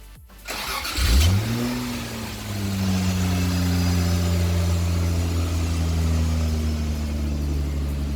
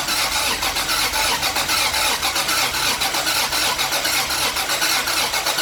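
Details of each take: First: 1977 Toyota Celica RA28 with 1G-GTE swap, first start, intercooler not connected, makeshift exhaust pipe, heard from the rear: catches, flares, then smooth steady exhaust with no knocks or clunks; normal start and idle. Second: 1977 Toyota Celica RA28 with 1G-GTE swap, first start, intercooler not connected: uneven choppy exhaust pulses, about one stumble a second, rough hissing, missing on some cylinders until given gas; misfire, rough running.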